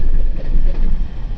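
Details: Mercedes CLA 200d diesel restarting at a stop via start-stop: rough start with deep uneven rattle, no check engine light; gearbox opened showed worn dual-mass flywheel with play.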